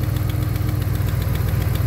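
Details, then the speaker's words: 2009 Dodge Ram 1500 Hemi V8 at idle, recorded on phone while waiting for the cooling fan that isn't coming on: rapid even ticking over a lumpy idle keeping pace with firing; exhaust manifold leak. "man you can hear that exhaust manifold leak though that thing sounds terrible"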